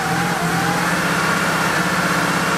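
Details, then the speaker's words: Porsche 911 3.2 Carrera flat-six after injector servicing, restarted days later: rough, stumbling note with irregular dips while held at steady high rpm, a heavy misfire near stalling that then dies and worsens; cause unknown. "it is very not happy about something that's for sure even at high rpms it's not happy that's not me goosing it at all i'm holding it steady"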